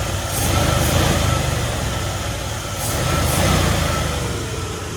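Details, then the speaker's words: 1977 Ford F250 Custom V8 that sat 10 years, after timing tuning and choke spring removal: steady, smooth low burble with no stutter, one exhaust pop afterward. Normal idle. "We got her tuned now, and as y'all can hear, you can hear it's not stuttering and it sounds good."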